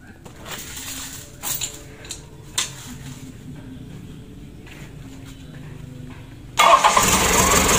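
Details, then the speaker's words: 2014 Isuzu Elf NKR 71 diesel after a full engine rebuild with new nozzles set to 2700 PSI, new rings and injection pump timed at 2 degrees: catches on the first crank and settles into a steady clatter; easy start, healthy engine. "Ya lumayan mudah sebentar kita matikan lagi untuk hidupnya tidak ada masalah langsung nyes"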